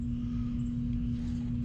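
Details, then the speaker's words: 39-year-old Carrier condenser, thermostat calling at 80 degrees: steady low electrical hum with nothing spinning; hoped to be the capacitor rather than the motor, condenser fan motor later replaced; humming, not running. "I don't know if that's the death buzz or not, but I'm hoping it's just a capacitor."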